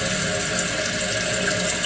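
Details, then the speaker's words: Toilet keeps running after flush: steady hiss of water pouring into tank without easing; float not rising fully, flow adjustment fine, water leaking through fill valve; Kohler 83143 seal diaphragm replacement planned, cause not confirmed. "it will raise that off but the problem is it's not raising it up all the way so you can say well maybe it's the flow down here is not adjusted properly but it is because the water just leaks a little bit there's a leakage"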